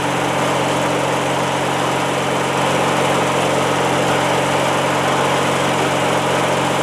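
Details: Craftsman L9 lawnmower with Briggs engine, first run after installing a new aftermarket starter: single-cylinder engine runs at a steady, even speed with a smooth, unchanging drone, no misses or knocks; normal running.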